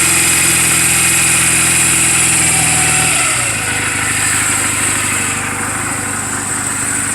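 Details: 2007 Honda Rebel 250 idling in neutral just after an oil change and valve clearance adjustment: an even, steady single-cylinder putter settling to a lower idle, with no ticking or misses. The engine is running perfectly, a normal healthy idle.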